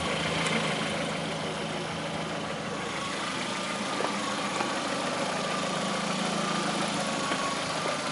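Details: 2009 Lada Priora, 37,000 km, at steady idle: faint, irregular light taps over the engine note, a mild knock that began 500 km after adding Suprotec; owner suspects the additive, cause unconfirmed.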